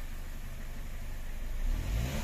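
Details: Car that stalled while driving, aircon switched on before test drive: low smooth idle lifts slightly as AC engages then holds steady; normal idle with AC load.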